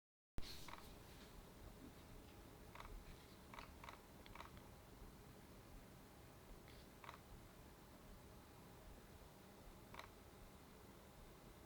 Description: When the camera is in one of S, A or P modes and the camera is re-positioned, the lens let out a "chirp". If the camera is pointed to the same spot, it stays silent. As soon as it's moved slightly, it chirps.